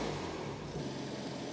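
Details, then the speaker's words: BMW M2 Clubsport, first start after engine rebuild and reinstall, exhaust on: steady, even engine note with smooth low rumble and no knocks or ticks; owner says she's purring. Normal idle. "the baby is alive she's purring she's purring Happy Happy Days"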